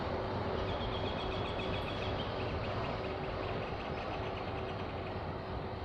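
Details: Passing train: a steady rolling rumble with sharp, irregular snapping cracks about three a second as the wagons go by; cause unclear.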